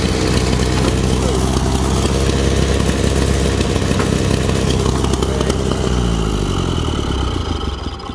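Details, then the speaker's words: 1931 Ford Model A, 200.5 cu in flathead four, 4.5:1 compression, off the road 65 years. First start with choke and starting fluid: loud, lumpy, uneven running with irregular beats that slows and dies. Way flooded; updraft carburetor dumping fuel, to be cleaned. "It's flooded, it's way flooded. I didn't expect it was going to start instantly."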